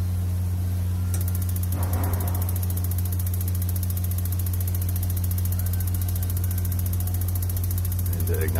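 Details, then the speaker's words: 18L tankless gas water heater with the water running and the gas turned on: rapid, endless igniter ticking over a steady low hum, never lighting a flame; igniter sparks continuously because the gas solenoid valve won't open. "just goes and goes and goes and you can hear that the Scylla no it won't open and it'll just sit there"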